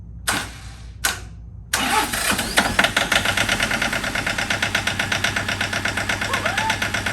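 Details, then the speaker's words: John Deere 650 4x4 tractor diesel, first start after budget rebuild of blown engine: brief cranking, then rough clatter with sharp uneven knocks about three a second; sounds like a knock, air possibly still in fuel line, cause unconfirmed. "like sounds like it has a knock"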